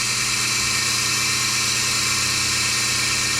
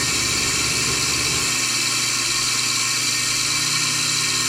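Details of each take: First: Melasty single-cow milking machine vacuum pump after fluid got into it and its carbon plates (vanes) and muffler were cleaned and reassembled: smooth, steady high whir, no knocks or surging, holding pressure. Normal running. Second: Melasty milking machine vacuum pump after cleaning the carbon vanes and retightening the faceplate, muffler not yet removed: steady high hiss and even hum, sounds better and gains pressure on the black tube. Exhaust muffler suspected to be clogged.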